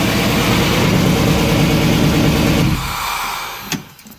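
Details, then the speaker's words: Toyota pickup with LS V8 swap and new fuel sending unit, first runs after a corrupt ECU file was reloaded by a tech: catches and runs with a steady, even low rumble for a few seconds, then shuts off cleanly; normal running, not yet driven. "so yeah that's that it runs next step is to make sure it drives down the street"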